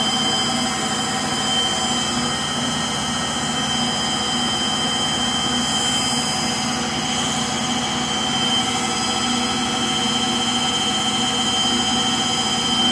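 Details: Frigidaire Gallery front-load washer, model GLTF1670AS1, final spin: loud steady jet-like roar with whining edge throughout, caused by bad motor bearings.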